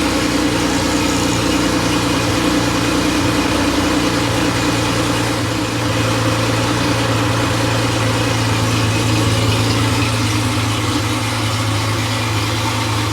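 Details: Freshly rebuilt Porsche 911 air-cooled 3.0SC flat-six at 3.2 spec, test stand, started cold after sitting overnight: steady, even high idle, regular firing, no knocks or misses; slightly rich warm-up, settling near 950 rpm. Healthy.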